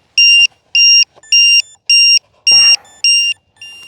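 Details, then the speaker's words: Arrows BAE Hawk 50mm EDF RC jet on a 4S pack where 3S is specified: after 52 seconds the throttle cut from low voltage protection, and the ESC gives repeating high-pitched beeps about two per second, with one cell sagging prematurely; low battery voltage warning. "as you can hear the ESC is like no soup for you"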